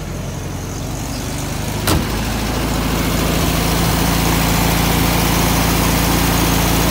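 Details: 1964 VW Beetle idling after carburetor readjustment and butterfly tweak, now running great: steady, even idle with smooth beat around four per second, no misses or stumbles; normal healthy idle.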